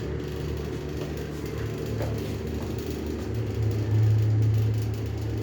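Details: Gemcell Style 2 and IXL Tastic fan motors with bad bearings: low steady rumbling whir with a deep hum that swells briefly.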